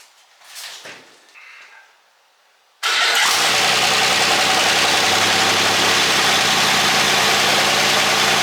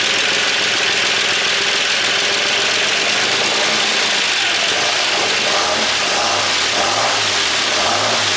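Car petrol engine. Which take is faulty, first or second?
second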